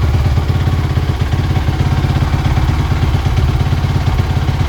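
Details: Suzuki RM-Z450 started after fitting new grips, brake lever and handguards, checking that the throttle doesn't stick: a steady, even single-cylinder thump at idle with no hanging revs; normal idle.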